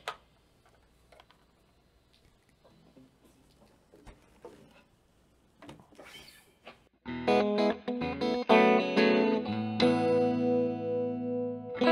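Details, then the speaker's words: MXR Phase 90 EVH guitar phaser pedal on a real guitar: sharp, scattered pops before the chords ring out, caused by a low battery; running it from a power supply cured it. "Hear the popping? I'm an idiot. It's a low battery."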